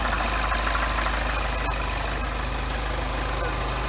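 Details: Freshly rebuilt 2012 N14 Mini JCW Coupe warming up at idle, VANOS adaptations not yet reset, rail pressure steady. Even low idle beat with no knocks or misses; it ticks over normally.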